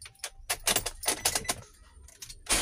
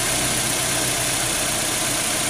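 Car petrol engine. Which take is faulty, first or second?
first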